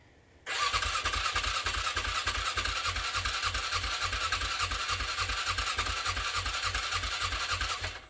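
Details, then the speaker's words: 2007 Polaris Scrambler sitting 4+ years, new battery, cranking with some throttle: about eight seconds of even cranking, roughly three compression beats a second, no firing; cranks but won't start, fuel pump or spark suspected, not confirmed. "Try it again. Give it some gas, see if that helps. Still nothing."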